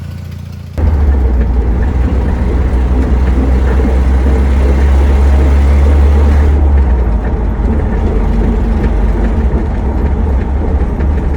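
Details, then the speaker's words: 1997 Jeep Wrangler TJ SE, 2.5L four-cylinder, manual, Dana 35 rear, ~204,000 miles, road test after new right rear axle, bearings and seals: steady low rumble with cyclic washing-machine whoosh from rear; noise unchanged, cause undetermined. "but TDSR lives up to its name, so you could tell that weird washing machine type sound that I'm hearing in the back. Hasn't changed, it's still there."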